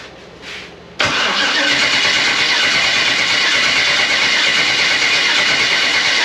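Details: Freshly rebuilt Gen 4 aluminum V8 swap (58x conversion), first fire attempt: starter spins steadily about three beats a second but never catches, battery low; no-start traced to swapped crank signal harness wires.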